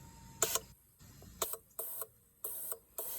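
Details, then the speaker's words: Gen 3 Hemi fuel injector on the fuel rail off the engine, fired by a battery, fuse and push-button tester: crisp clicks, each followed by a short hiss of spray at irregular intervals; opening and spraying cleanly with no clogged jets. "So, I'm going down each injector just checking the spray pattern, making sure they all spray."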